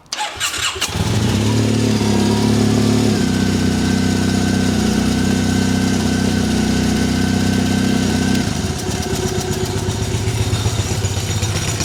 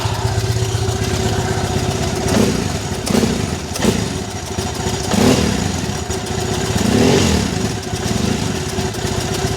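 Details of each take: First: Triumph Bonneville twin, just restarted after owner's own repair and fresh oil: catches and runs lumpy, ragged and stumbling, one cylinder misfiring; owner suspects the right-side spark plug wasn't tightened, not confirmed. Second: Triumph Bonneville twin: steady, even beat on both cylinders, picks up cleanly when blipped, no misfire for now; owner soon hears a hissing return from the right-side plug.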